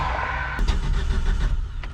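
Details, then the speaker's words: 1977 Datsun 620 with rebuilt engine, broke down: cranks with irregular sharp pops and sputters but never catches. Owner suspects the distributor or jumped timing; cause not confirmed. "I'm still thinking something with that distributor ain't happy. Surely our rebuilt motor do a little jumping of the timing."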